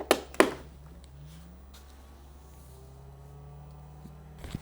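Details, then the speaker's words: Portable car cooler running on car adapter: steady low drone with faint hum under a couple of knocks; its fan runs loudly. "niestety lodówka dość mocno hałasują to jest wiatrak który dość mocno hałasuje w trakcie gdy działa"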